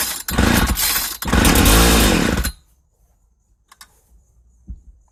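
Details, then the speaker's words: 1995 Ardisam 8900 auger (Earthquake/Eskimo), about 20 years old, with new spark plug, on full choke: the two-stroke catches with a raspy buzz for about two seconds, stumbles and dies, firing but not running; fuel system problem suspected. "It's not wanting to fire on its own. Let me see if I can encourage things."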